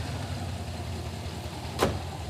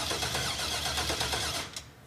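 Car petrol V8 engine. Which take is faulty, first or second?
first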